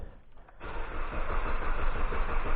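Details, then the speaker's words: 2011 Jeep Patriot 2.4L 4x4 cranking without starting: steady, even starter churning with no firing. The scan tool shows no engine rpm and a crank sensor circuit code is set. The crank position sensor fitted last week has failed again. "it's not showing any engine rpm so I'm going to say we also did have a code for a crank sensor circuit code I'm going to say the crank sensor is shot again now"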